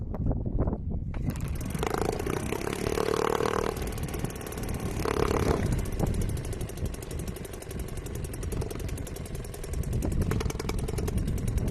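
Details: Restored old Seagull 40 Plus two-stroke outboard idling in deep water after repair, just started, warming before throttle. Light, even putter with splashing, quiet; ticking over beautifully, normal idle.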